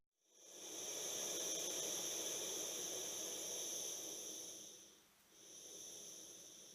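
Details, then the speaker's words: MSR WhisperLite stove run on propane via Kovea LPG adapter; steady hissing burner roar continues a few seconds after shutoff, then fades; normal residual burn as pressurized fuel in the hose bleeds out. "the whisper light stove stores pressurized fuel in the hose going to the stove itself so once you turn it off it takes a few seconds for that to eventually bleed out and die out"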